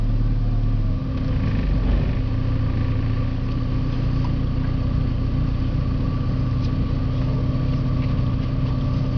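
Low, uneven idle with a lumpy, wavering rumble and faint clatter over the steady drone; rough running, cause not identified.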